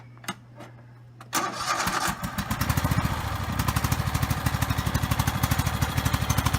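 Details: Donated ride-on lawn mower after a battery replacement: a couple of cranks, it catches and settles into a steady, even thump about three times a second; it starts and runs.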